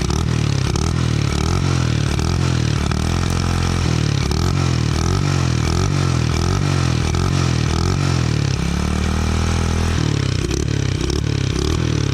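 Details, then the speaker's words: Honda Kharisma-based custom Honda Monkey single-cylinder with muffled exhaust, kick-started, running with uneven stuttering on throttle instead of pulling cleanly; carburetor setting suspected to need adjustment. "Masih agak tersendat-sendat, bro. Pengaturan karburator mungkin perlu sedikit penyesuaian agar mesinnya berjalan lebih baik, bro."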